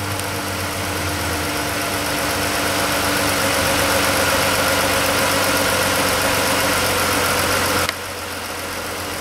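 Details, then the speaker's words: Chrysler 3.6 Pentastar V6 after replacing worn roller rockers and lifters that caused ticking: smooth, steady idle, even hum, no tick or tapping, quieter, no codes; valvetrain healthy after repair. "so it is doable it's a pain but it didn't blow up not throwing any codes quieter idling's good"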